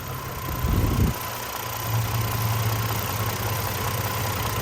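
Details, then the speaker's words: 2003 Chevy Trailblazer LTZ after PCM replacement, warmed at idle: steady, smooth idle around 625–650 rpm (previously 600), with no ticking from the fan clutch area for the first time since owned; sounds healthy. "wow we look at that there's no ticking 89 dollars the first time since I had this no ticket that's crazy"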